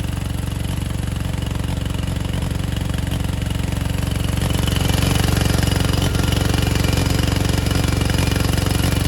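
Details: 1987 Gravely Professional 18G riding mower, Kohler Magnum 18 engine with OEM 35-year-old carburetor; low chugging that swells and eases as the carburetor linkage moves without the throttle lever being touched; engine surging, carburetor said to be out of adjustment.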